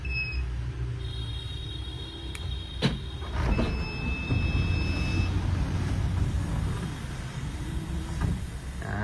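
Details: Hyundai Solati 2022 fitted with a Cayman automatic sliding door drive (70 W, 37 kg pull, remote-adjustable speed) running at slow speed: a soft, steady motor whine and low rumble with no grinding; it latches fully and works normally.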